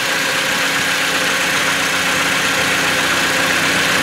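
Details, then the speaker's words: Simulated 2013 Toyota Tacoma (game mod) restarted after an oil change, oil pressure light off, no leaks: steady, even idle around 1000 rpm with normal valvetrain ticking, no knocks or misses; healthy. "the engine sounds good you can hear the lictors there on the valve the camshaft spinner around that's normal"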